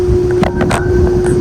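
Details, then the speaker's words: York Stellar condenser, R22, about 1998, GE fan motor, apparently reciprocating compressor: compressor off, fan turning very slowly with steady mid-pitched hum and airy whoosh; owner thinks it needs a new fan motor. "The compressor isn't running, but the fan is running, and the blades are spinning really slow. I think it needs a new motor."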